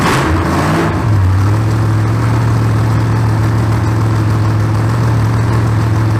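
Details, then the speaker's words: Freshly built 283 small-block Chevy on engine stand, solid roller cam, about 12:1 compression, very first start before coolant added: short crank, fires and settles into steady even low rumble idle; normal first start. "that was the very first initial start of this 283"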